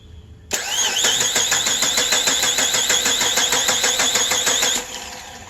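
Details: 2003 Chrysler Sebring 2.7 after used-engine swap and timing chain replacement, cam and crank sensor signals being scoped: starter cranks evenly about three turns a second for four seconds, never fires; wrong cam sprocket reluctor confusing the computer.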